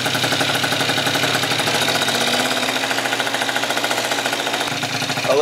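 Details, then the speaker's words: Freshly rebuilt Yamaha Zuma with a Stage 6 MK2 70cc two-stroke kit and Yasuni C16 exhaust on first fire-up, held at a slightly raised idle to warm; crisp, rapid, even crackle with no knocks; normal high idle. "it sit on a little bit of a higher idle. Let it get warm."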